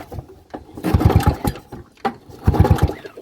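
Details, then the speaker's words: Abandoned lawnmower, engine hot, two hard pull-start cranks: strong, even chuffs on every stroke as the gauge reads about 80–90, then 100–110 on a somewhat unreliable gauge. Normal compression. "it's hot it's got compression what are we looking at 90 80. [Music] that's plenty of compression"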